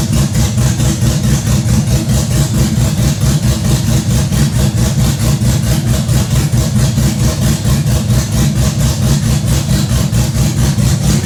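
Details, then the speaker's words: Chevrolet Blazer V8 with a big cam, fresh build: deep, loping idle with a steady choppy pulse about 90 a minute, the normal uneven rhythm of the cam, otherwise healthy. "But that noise, you said that it was the cam doing the room, room, room, room. Yeah, that's making it."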